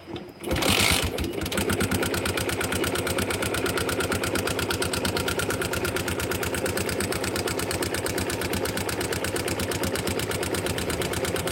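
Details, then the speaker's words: Yamaha Jupiter MX engine at idle: a loud, sharp, steady tapping about three per second from loose rocker arms (excess valve clearance); slight pulley bearing play also noted, no cam chain noise detected. "oke di sini e suara cukup kencang itu dari suara pelatuk yang mengalami kelonggaran"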